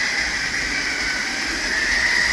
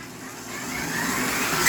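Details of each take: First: Tyco Grand Trunk Alco C430 model locomotive after cleaning and oiling the power torque drive, which ran rough and squeaked before: steady, even motor whir with light rail hum while lapping the track, no catches or grinding; drive runs smoothly. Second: Tyco Grand Trunk Alco C430 locomotive with power torque drive running rough before cleaning and oiling: small motor whirs up, then a brief high squeak cuts in; intermittent drive squeak, cause unconfirmed.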